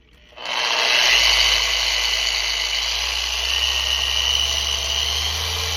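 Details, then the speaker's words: Rupes LHR15 Mark III polisher returned from factory service repair: spins up quickly to steady even high whir without rattles or catches, working like new; normal running. "yeah it seems to be working like brand new"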